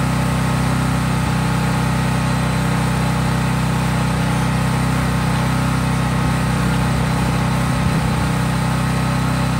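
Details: Craftsman 5000-watt generator outdoors after a cold start, at full governed speed with no load (only an LED bulb plugged in): a steady, even drone, no hunting, misfire or knock; normal healthy unloaded running.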